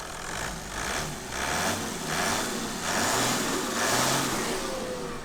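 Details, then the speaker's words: 1995 Toyota Land Cruiser 4.2 turbo diesel at auction inspection, cam belt last replaced at 86,000 km in 2002 and due again: revs up and down smoothly with steady clatter, no misses, knocks or stumbles, no smoke; sounds healthy. "Okay, there's no clouds of smoke. So that's, yeah, like I say, it's a nice car, this."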